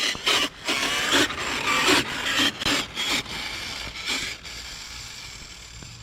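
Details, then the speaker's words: Traxxas X-Maxx RC truck running 18/54 and 20/50 pinion/spur gearing, stripping gears again after jumps and backflip: harsh gritty rasping in uneven bursts; stripped spur gear grinding badly. "sounds terrible so she is grinding really badly all right guys we're gonna have to call it unfortunately she's grinding too much"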